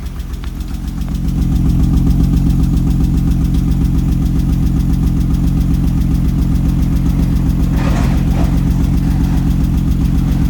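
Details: BMW 325i E30 six-cylinder after a fourth valve adjustment: idle with steady, slightly uneven pulse and faint light ticking; rough idle, owner suspects valve adjustment still not right.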